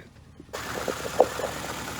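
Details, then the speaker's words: Circa-2007 Nissan Altima idling rough and shaking with an uneven beat and occasional stumbling thumps; misfire, possibly coil pack, injector or spark plug, tested by unplugging coil packs; coil arcing through its boot. "this is obviously a misfire it could be a coil pack it could be an ejector it could be a uh a spark plug but this is how you test it all right now the motor is running it's rough you can see it's shaking"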